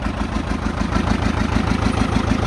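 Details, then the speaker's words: 1959 John Deere 830 Industrial diesel tractor, started with its gasoline pony motor after oil change and fuel-leak fix: deep, even throb with steady pulse, no knocks or misses; healthy running. "so it's just kind of nice to hear the big engine running I don't think there's a better sound in the world than that"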